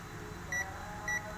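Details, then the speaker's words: Multimeter continuity buzzer checking a backlight inverter diode on a dim Panasonic 60-inch TV: two short, clear high beeps about half a second apart, beeping in the cathode direction only. The first beep comes from capacitor charge. "Nah, ini bunyi karena ini katodanya. Nah, Anda perhatikan di sini tidak bunyi dan ini bunyi."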